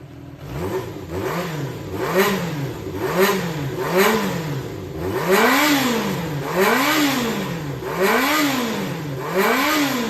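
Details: Yamaha XJR400 (4HM) engine assembly, a running unit with compression tested. Blipped about every second and a half, pitch rising and falling cleanly with no abnormal noises, knocks or white smoke; a healthy engine.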